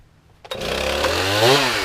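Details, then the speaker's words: Stihl MS311 chainsaw rebuilt with a Chinese piston and honed cylinder after burning up, started for test cuts on fence rails: catches after a pull, idles, then climbs cleanly into a crisp rev with no stumble or bog; normal idle and revving. "sitting here it's idling it's revving up there's no bug in it seemly running well pretty darn good"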